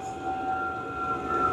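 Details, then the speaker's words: New Vevor XMZ-L-D3 diesel heater in level mode at raised power, fuel pump ticking faster: steady fan roar with two constant high tones, no surging or misfire pops; healthy at full output. "Vous avez vu, la pompe marche. On entend de plus en plus la pompe vite."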